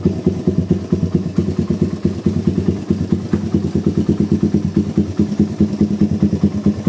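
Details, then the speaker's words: Suzuki Satria FU with stock vacuum carburettor and oversized exhaust: uneven, lumpy idle with a faint tick; it stumbles and hesitates on slow throttle and feels empty on quick throttle, because the big exhaust overwhelms the stock carb. "Kondisi awal ngericik tipis sama kalau digas pelan dia jeda-jeda ya, kosong deder. Kalau di spontan dia bisa der tapi kosong. Nah ini kalau kondisi kayak gini berarti knalpotnya dia terlalu besar ya, knalpotnya kebesaran, terus karbunya nggak ngatasi, karbunya standar pabrik, karbu vakum."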